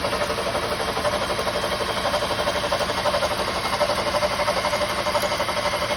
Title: help, 2007 honda cdv 2.2 with a loud quick engine knock